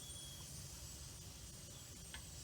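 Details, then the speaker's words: Presto pressure canner heating up with the safety valve popped up: soft, steady hiss with one brief spit of water at the vent before venting begins; normal heat-up noise. "oh it was doing it a moment ago the water was starting to spit out of there and you can hear it's making some noise"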